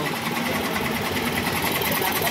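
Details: Yamaha Mio 125 scooter engine with a fast, rough mechanical clatter from inside, caused by a cracked connecting rod.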